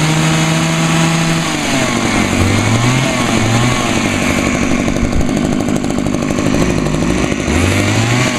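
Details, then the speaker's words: Two-stroke hedge trimmer on 50:1 gas-oil mix: high two-stroke buzz whose pitch sags instead of climbing when throttled, bogging out; owner suspects lean running and plans to turn the L screw out. "I think this one may needs a bit of carburetor adjustments I think I probably need to turn the else screw out a little bit see it's sort of see it actually bogged out on me just when I was trying to give it throttle"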